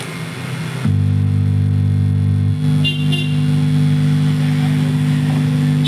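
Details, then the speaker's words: Brighter 4-in-1 home theatre, subwoofer speaker wire disconnected: a loud steady low drone with even overtones persists, showing the hum fault is in both the satellite speakers and the subwoofer. Cause suspected, not confirmed. "लेकिन फिर भी अब जो है आप सुन रहे होंगे यह इसमें आवाज आ ही रही है तो इसका मतलब है जो हमारा अभी दोनों में यह प्रॉब्लम है इसमें भी है सेटेलाइट स्पीकर में भी और सब वूफर में भी"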